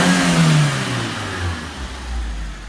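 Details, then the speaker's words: Suzuki Swift after refitting K&N universal air filter: revs up strongly and settles smoothly to a steady low drone, no misfire or rattle; sounds healthy, no check engine light. "sounds sick. Does, doesn't it? And she's got no check engine light on at the moment."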